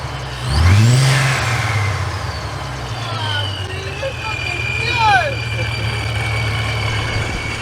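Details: Ford Mustang 3.7 V6 freshly fitted with a ProCharger supercharger, first run after the build: quick rev settling into a steady low idle with light supercharger whistle and bypass whoosh; runs smoothly and healthy.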